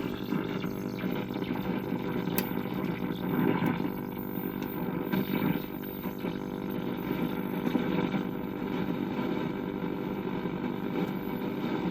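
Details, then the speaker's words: 1965 Philco 19-inch black-and-white hybrid tube TV powered through a 300 W bulb limiter: a faint, thin, wavering whistle among crackles and pops, as the horizontal oscillator drifts off frequency; no raster, no tuner activity, dirty horizontal hold control, open or gassy tube suspected. "Power is applied. I hear horizontal. Sounds like it's running way off,"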